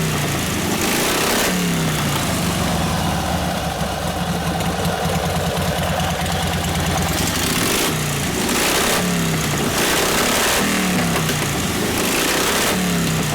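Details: 1952 Harley 74ci panhead, fresh top end, rebuilt Linkert carb, hot on full choke, mixture screw about 5 turns out: uneven lumpy idle with repeated throttle blips that stumble before picking up, typical of a lean carburetor mixture.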